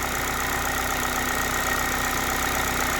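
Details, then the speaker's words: 2011 Chevy HHR 2.2L LE8 with P0010/P0011 intake cam codes, AC off, mass airflow sensor disconnected: smooth, steady idle with even beat, no timing chain rattle or slap; engine sounds healthy. "so um let me go out and listen to the engine so it sounds pretty good i don't hear anything crazy"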